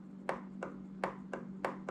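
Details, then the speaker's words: Goped GSR25 scooter pulse fuel pump driven by an adjustable-speed LED blinker relay set to low: sharp regular clicks about three a second over a faint hum; pump proved a failure for this engine. "I turn this on and I get a pump speed I can take the screwdriver in here and I can pick a new pump speed by driving this thing one way or the other that's low"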